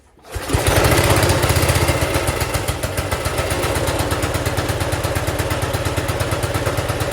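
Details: Wheel Horse garden tractor, possibly the pull-start B120, started after sitting a while with old gas and a dry fuel filter. It fires on two pulls with no smoke, then settles into a steady, even thumping run with no misses; healthy.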